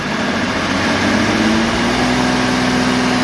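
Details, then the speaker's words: Timberking 2220 sawmill engine at full throttle, about 2,500 rpm, cutting poplar: even, higher-pitched drone than the 2000 mill, steady with no misses, knocks or surging; normal full-throttle running. "just has a higher pitch to it. And this one's also running at higher RPM. We're running this one about 2,500 RPM when she's full open."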